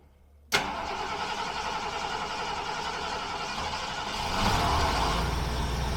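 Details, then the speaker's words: 1976 Mercury starting and idling: quick crank, clean catch, even steady low-rpm idle with no stumble or miss after ignition timing was set; gasket replacement still pending. "happens wow this sounds a lot better let actually have low RPM of course it's a lot better haha perfect"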